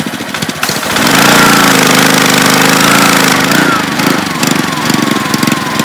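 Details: Honda-powered Ryobi 3100 PSI 2.5 GPM pressure washer, started on choke with pressure relief lever out: catches and idles with steady even putter, doesn't stall; low-idle sensor was found not clogged.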